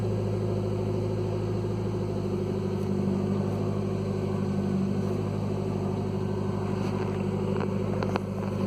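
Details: 2015 Nissan Versa engine start-up: loud, deep rumbling idle with a raspy puffing edge from an exhaust leak underneath, the pipe rotted through just after the muffler flange connection and needing replacement.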